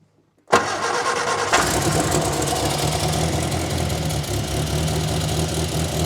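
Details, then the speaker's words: 1963 Austin-Healey Sprite after SU carburetor cleaning and exhaust leak repair, cold engine; short crank, catches quickly and settles into a steady even fast idle with no popping, sounding much better; normal cold start and idle. "Already sounds a lot better. Have to get just a little bit of heat in the motor, and then I can start tweaking on enrichment."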